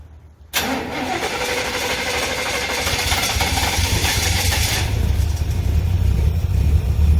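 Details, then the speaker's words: Long-sitting 1963 Chevrolet Impala started after clearing fuel line: deep uneven loping idle, running on about five cylinders; owner suspects bad gas, probably bad plugs, unconfirmed; engine misfire. "They were running on about 5 cylinders. I'll let it run a little bit, so it keeps running. Got a Dave gas, probably bad plugs."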